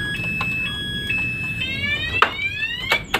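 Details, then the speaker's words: Add-on motorcycle alarm with the ignition tampered with using a T-key: repeated rising and falling siren sweeps, and the starter is disabled; the alarm siren triggered by ignition tamper. "Tapi jika kita mengaktifkan alarm dengan alarm tambahan ini, di saat ada letter T sudah kita aktifkan, maka alarm akan berbunyi. Nah, dan di starter pun nggak bakalan bisa hidup."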